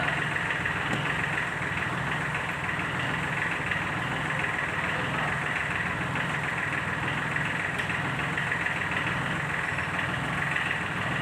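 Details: Sunshine L1-255 tractor with D1462-TV diesel at idle, before repair: an uneven knocking clatter about one beat a second over the rumble, an internal engine fault; fixed by replacing the valve seat and piston rings.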